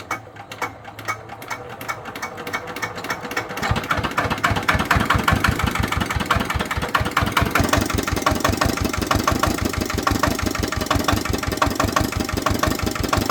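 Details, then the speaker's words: Vietnamese D8 single-cylinder diesel tiller engine, smoking heavily and burning oil (sump nearly empty after ploughing about 3,000 m²); it catches and settles into a steady thump around ninety per minute. "Nó bị giặc khói, ăn nhớt. Cứ cho màu nhớt thì được khoảng 3.000 thôi là gần cạn."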